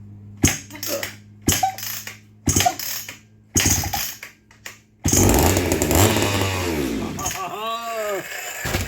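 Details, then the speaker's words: Free vintage Sears Craftsman 3.7 chainsaw (Roper-made) with no spark and a fuel delivery problem: ignition on, fuel poured down the carb, then sharp pull-cord cranking with a strong chuff each pull. High compression, almost needs a compression release, and no start. "you hear that yes man that thing has got some compression almost needs a compression release"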